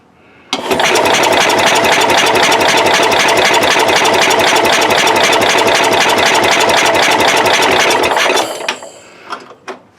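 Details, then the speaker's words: Cub Cadet 108 garden tractor after cleaning points with brake cleaner: steady cranking about four turns a second for seven seconds, no firing; no spark at all, owner suspects the brake clean or worn points. "we're not getting any spark at all now i don't know if it's because of that brake clean or what now the points are working we may have to do this another day guys"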